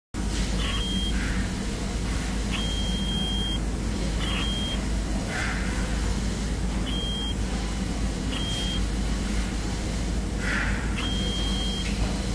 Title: Alarm/Buzz sound during changing the sew program on 867M Sew machine